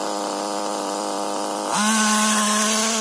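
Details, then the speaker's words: HPI Nitro MT with Nosram RS .18 Evo engine during break-in tanks and tuning: burbling idle, then snaps straight up to a high steady scream with no bogging; clean pickup, though the mixture is still rich. "just goes straight away no bogging down even though it's still quite rich"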